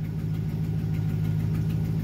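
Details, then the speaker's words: 2009 Chevy Silverado (GMT900) after the failed fuel control module was bypassed, pump wired to 12 V at about 50 percent pressure: steady, low, even idle hum, not flooding or sputtering, revs responsively, normal idle. "it's idling just fine it's not flooding it's not sputtering it'll rev just fine it's good and responsive not rolling coal"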